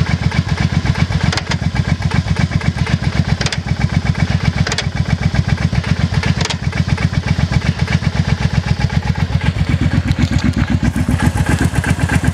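Even idle pulsing at roughly four beats a second, with occasional sharper clunks every second or two; source of the clunk unclear.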